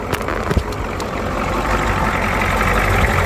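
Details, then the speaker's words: Ford 6.9/7.3 IDI diesel after running out of fuel, cranked at about 10°F: uneven clatter at idle with early sharp clicks, knocking, steadying as air is bled from the fuel system via the Schrader valve until clean fuel comes out. "Keep hitting this valve, getting that air out. Eventually it'll be fuel coming."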